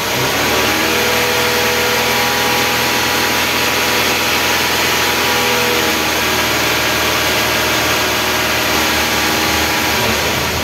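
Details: Renault Kangoo F8Q 1.9 diesel adapted from Lucas Delphi DPC to mechanical Bosch VE pump, just repaired after racing and not holding idle; after injector bleeding and glow plugs, starts and runs steadily, even beat, no misfire or hunting; normal.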